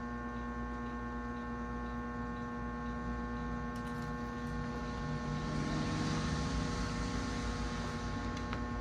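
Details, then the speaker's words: 1937 RCA Victor 85T1 valve radio after restoration (speaker, field coil and power supply reworked), running on variac at 105 V: steady low hum with even tones; audio output works but hum source in audio stages not yet found. "Lembrando que a gente mexeu em tudo nós mexemos no falante na bobina de Campo na fonte então a gente pode ter várias origens para esse ruído mas a saída de áudio está funcionando isso é legal"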